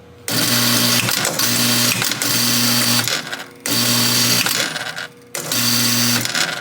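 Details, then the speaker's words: 1961 Gottlieb Corral pinball machine, barn find idle since the mid-1990s, with jammed relays and a crunchy hold relay. Loud harsh buzzing and chattering in long bursts with short breaks. Harsh rough-running mechanism that needs repair. "Oh my god, that sounds terrible."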